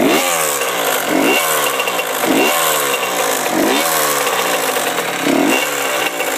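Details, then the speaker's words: Honda CR85R two-stroke blipped about once a second, revs rising and falling crisply; owner reports ticking noises, no power or powerband, and coolant leaking; ticking buried under exhaust crackle, cause unknown. "cr85r um making ticking noises and it doesn't have powerband i'm not really sure what could be wrong with it"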